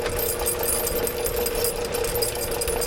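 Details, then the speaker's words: Electric drain/sewer cleaning machine spinning up on a second try while feeding cable out. It gives a steady, even, mid-pitched motor hum with no knocks or surges, sounding healthier: normal running. "let's try this again sounds healthier it's going Mike okay"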